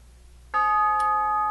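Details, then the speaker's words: Tube gong grandfather clock on a bench test stand after refurbishing hammers that had worn leather pads: this tube was always okay and now rings one clean, sustained strike with no clack or buzz, even better than before. "Oh, yeah. That sounds even better than it did before. This one was always okay."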